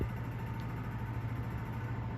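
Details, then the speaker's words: 1956 Emerson 77648-SO desk fan, newly recorded after a cord replacement and long outdoor storage: low steady hum and even airy whoosh, no ticks or scraping, nice and quiet with slight blade run-out and good air. Running smoothly. "It's nice and quiet. It's got a little bit of run out in it, but that's pretty hard to avoid. Good air, as you'd expect."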